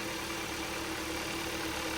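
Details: Hyundai/Kia 1.6L Gamma engine first start-up after installation: steady, even idle hum with no knocks, ticks or misses while fuel and oil circulate; healthy and settled.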